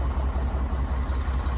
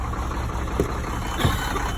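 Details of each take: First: Cummins-powered Sterling semi revived after 8 years sitting, coolant refilled, at operating temperature: deep, even throb at warm idle with no stumble or knock; no smoke; normal idle. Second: Sterling semi with Cummins diesel, first start after sitting 8 years: runs steady with over 100 psi oil pressure for a couple of seconds, then fades and dies.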